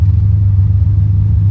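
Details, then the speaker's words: Big-block Monte Carlo cruising on test drive after steering work: deep, even rumble with steady low pulse, no knocks or misses; engine sounds healthy. "Steering's great, but listen to this thing. This little big block here, that sounds excellent."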